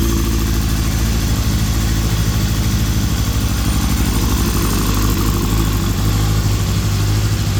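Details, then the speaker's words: Suzuki GSX-R 750 K7 four-cylinder after dash wiring splice to clear code C-23: low, fairly uneven idle, no knocking or grinding, keeps running; two leaks, codes C49/C28 shown, engine described as hesitant. "So, we did something right. Fuel pump's still trying to pump out some gas."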